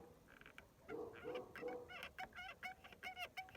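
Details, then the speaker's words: VAZ 2111 driven about 15,000 km: rhythmic high-pitched rear squeak about three a second while driving, from the handbrake cable rubbing and wearing through. "Трёт трос ручника, [ __ ] Идёт трос ручника, [ __ ] и ты едешь, и оно постоянно пищит."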